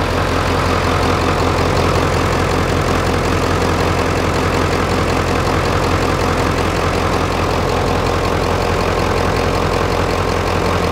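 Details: 1996 Ford F-350 7.3 L turbo diesel after belt-driven vacuum pump delete and shorter belt, started after glow plug cycles: steady even diesel clatter at idle with firm low rumble, no misses or knocks; healthy idle.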